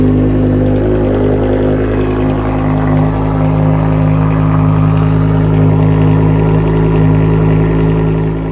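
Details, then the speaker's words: BMW E60 M5 V10, previously misfiring with rough idle and limp mode, after ionic control module repair: smooth, even running with a steady tone and no stumble or missing beat; all cylinders firing cleanly. "My car's finally put back together. Now I can test it to make sure that it's back to its normal running condition."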